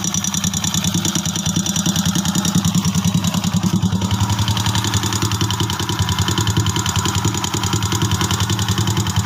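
Motorcycle idling with a quick, fairly even mechanical tick riding over the exhaust beat, about three per second; the source can't be pinned down by ear. Cause suspected, not confirmed.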